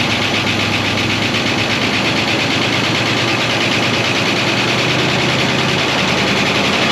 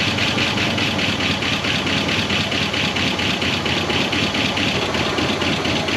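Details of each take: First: 1969 Buick Wildcat first start after 26 years parked, rat-nest smell, coolant very low: busy fast lifter ticking over steady idle, no deep knock; lifters noisy from long storage, bottom end sounds knock-free. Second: 1969 Buick Wildcat V8, barn-stored 26 years since 1998, idling after its first revival with coolant very low and the water pump weeping: even, steady idle with busy top-end chatter but no knock or misfire; engine sounds healthy.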